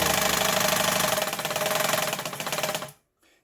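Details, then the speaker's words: Mid-1980s Yamato sewing machine by Seongnam Mising, fully repaired with motor fitted, stitching fabric via pedal: brisk even clatter about four stitches a second, steady, stops cleanly; loud but powerful, normal stitching. "요즘 기계처럼 조용하지는 않지만 굉장한 파워가 있고 두꺼운 옷감에 아주 강한 기계겠습니다."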